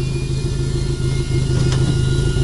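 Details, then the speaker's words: Opel Corsa A GSI race car engine, first start after over 10 years standing: steady, even low rumble with no knocks or misses, a smooth, healthy-sounding idle. "aber klingt guter Motor ne"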